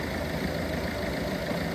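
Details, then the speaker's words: Peugeot 307 HDi common-rail diesel, hard starting and rough running, misfuelled with petrol, rail pressure slow to build and fluctuating, one injector correction -4.82: steady but uneven, dull lumpy idle; rough running from petrol contamination. "But have a listen to the way that engine's running. Not running too well."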